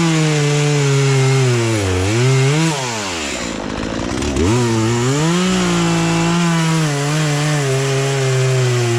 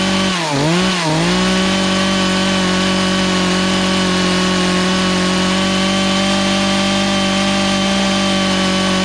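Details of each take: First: Poulan Pro two-stroke chainsaw, sat unused about three years, after carburetor adjustment, cutting small logs; crisp revs dip as the chain bites into wood and pick back up cleanly; running and cutting properly. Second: Poulan Pro two-stroke chainsaw that sat three years, high-speed carb screw being adjusted counter-clockwise as owner suspects fuel starvation: high steady scream with brief dips on throttle blips, bogging lean.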